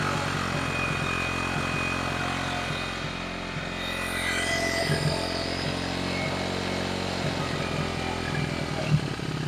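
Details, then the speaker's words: 1974 Honda XR75 small single with new ignition coil, on choke, idle screw nearly all the way out, mixture screw one turn out: revs steadily high, never settling to slow idle; high idle persists, new carb ordered. "The idle screw's pretty much all the way out. And air fuel mixture screw was a turnout."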